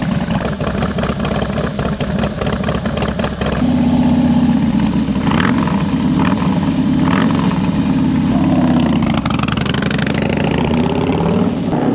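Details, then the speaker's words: 2001 Harley-Davidson FXDX V-twin on new carburetors and straight pipes, warming up: loud, deep rumble revving and settling smoothly with little throttle-off popping; sounds healthy, though owner unsure whether it needs a tune. "it doesn't have as much like no D cell pop compared to what it had sounds way louder in my opinion like I think it sounds good but obviously I don't know if it needs a tune or not"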